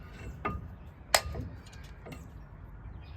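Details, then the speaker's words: Brake pad replacement on a 1988-1998 Chevrolet Silverado C1500: three sharp cracks and snaps as a clamp pushes the caliper piston back; pads binding on rust, not normally there. "Oh yeah, by the way, normally it won't make that noise. It's just binding up right now on that rust."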